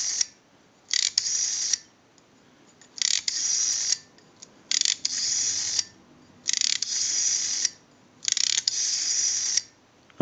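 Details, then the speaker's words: AE candlestick telephone rotary dial, plugged into an analyzer that it seized: five bursts of rapid, even clicking with quiet gaps on return, with the numbers registering. It is pulsing cleanly and steadily. "now what we can do is we can plug the rotary dial into the analyzer it seized the analyzer and if you watch this number pattern you'll watch the numbers roll by"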